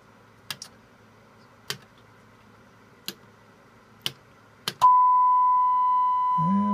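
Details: McIntosh MC225 tube amplifier after replacing bumblebee capacitors and biasing, warmed up with HP signal generator test; few clicks then clean steady mid-pitched tone, no buzz or crackle, clean sine wave on scope.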